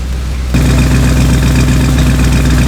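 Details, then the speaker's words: 1965 Cadillac V8 with a new carburetor, after the check valve was replaced: a smooth, low, even idle at about 1,000 rpm with no surging or run-on. It starts, idles and shuts off cleanly. Normal idle. "Alright, got the check valve replaced, runs over, really smooth now. Right at about 1,000."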